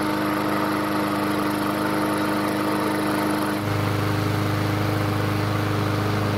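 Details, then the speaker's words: Yard Machines mower restarted; owner guesses a remaining carb blockage restricts fuel flow at startup, keeping speed slow until vacuum builds; a slow fuel leak later found. Engine runs steadily, then note jumps and firms up midway: slow idle after restart. "instead I think there's still some sort of a blockage in the carb that's keeping the fuel flow from being where it needs to be at startup this is then keeping the engine speed slow until there's enough vacuum to help overcome the blockage"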